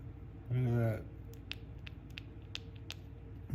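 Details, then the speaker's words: Poulan 2150 chainsaw carburetor, bottom plate off: dry crackling creak for about half a second as the diaphragm, stiff as a board, flexes; carburetor needs a kit, debris from disintegrating fuel lines in the screen. "You can hear it. So it definitely needs a carburetor kit."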